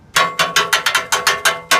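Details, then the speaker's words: 2010 Subaru Forester, under front of car at catalytic converter heat shield with corroded bolts, engine off: sharp tinny metal clanks from loose heat shield rattle, removed as fix. "all right so you can see some rattling rattling in here this is kind of where I think our problem is"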